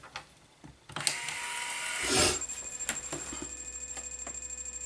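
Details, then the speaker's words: Brinsea Mini Advance egg incubator just plugged in: a few clicks and high electronic tones, then soft rhythmic hum from the egg-turning motor; normal power-on startup. "it a few seconds to do all its blurb and you can hear that humming and that's because it's actually got a motor here that actually will turn the eggs for you"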